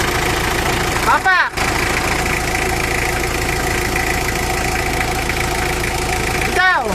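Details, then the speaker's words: Mitsubishi L300 diesel at idle: light metallic rattle at the clutch release bearing that goes away when the clutch pedal is pressed and gets louder when it is released. "boss, pag dinidiin ko itong clutch pedal niya, parang may kalansing dito sa release bearing."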